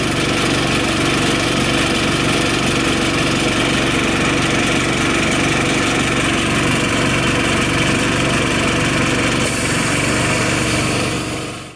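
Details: Honda GX160 on Grip-Rite wheelbarrow compressor, previously only ran at low rpm from weak spark, after replacing high-resistance spark plug cap: steady, even note about eleven seconds, no surging or misfires; fixed.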